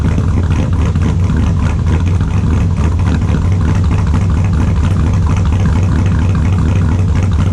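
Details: 2002 Silverado with a built LS V8, cold idle after sitting since Friday: a loud, lumpy, deep and steady cammed idle on all eight cylinders with no misfire stumble.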